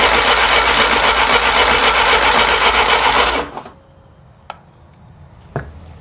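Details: 1957 Willys FC-150 engine with plug wires transferred over: steady, even cranking at about four beats a second, no firing, then it stops; no spark because the plug wire order and timing are wrong.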